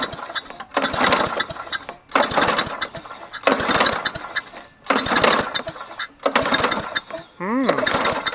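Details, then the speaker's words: Trash-found Toro GTS push mower, long unused, air filter fine, starting fluid sprayed: six rough pull-cord bursts dying without firing; crank no start, no spark. "well this one probably needs a little bit more than a spark plug but while we're here we'll go ahead and we'll check for spark"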